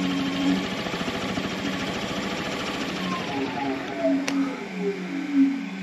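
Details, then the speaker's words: Brushless electric motor driving an ultralight propeller on a simple throttle and servo tester, unsecured so at low power: smooth, steady electric hum rising and falling cleanly with throttle, no grinding or stutter; normal running. "Ouais, c'est toujours sympa à voir fonctionner un moteur électrique."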